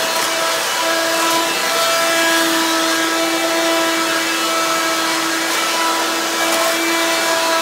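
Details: Hoover Quik Broom II S2141 stick vacuum damaged in shipping; harsh, very loud rushing roar with a steady whine on top, louder than an S2095; owner unsure if the shipping hit unbalanced the motor or broke the fan.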